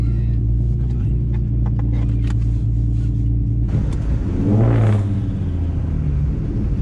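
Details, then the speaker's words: Infiniti G35 coupe after installing a new Y-pipe: deep steady idle, then one quick rev that climbs and falls back smoothly. The exhaust note is fuller and the previous pop noise is gone. "Ooh, it does sound different on solid. It don't do that pop noise anymore."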